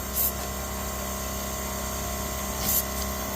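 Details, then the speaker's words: Engine off, intake pressurized with a boost leak tester: steady airy hiss over low hum from the MPX throttle body return spring area; boost leak at throttle body, said to be common. "I'm sure y'all hear that leak is coming from the throttle body return spring area which is apparently a common issue with these MPX uh throttle body"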